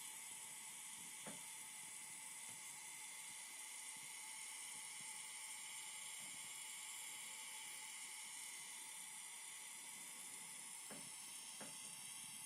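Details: Phoenix Contact QUINT-PS/1AC/12DC/15 power supply running with a strong constant high-pitched hiss and a faint steady whine that persists with a load connected to the outputs; all four units tested do this, cause unidentified. Hissing noise.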